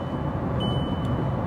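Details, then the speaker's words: Cheap used daily-driver car on the motorway: a steady high-pitched chime in short bursts over road rumble, a seat belt reminder sounding with nobody in the seat; the cause is suspected, not confirmed. "There's nobody sat there. It's fine."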